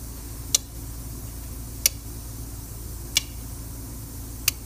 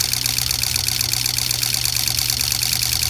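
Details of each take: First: Hard-starting diesel truck (not a no-start; starts all right when plugged in), injector buzz test: sharp single clicks about every 1.3 seconds over quiet background, firing each injector in turn; number five gave no buzz, used injector suspected. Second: Diesel truck with hard starting: customer's injector driver harness bench-tested on eight used injectors, crisp even ticking chatter about four clicks a second, steady throughout; injectors and driver responding normally.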